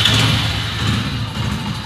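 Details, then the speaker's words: Hero HF Deluxe single-cylinder bike idling after a self-start fault was fixed; the cause was a broken wire at the neutral switch. Now it starts without pulling the clutch and settles into an even, steady idle with no misses, knocks or hunting. "अब बिना भी clutch लिए हम bike को start करते हैं, ये देख रहे हैं अब बिना क्लच लिए हमारी बाइक स्टार्ट हो"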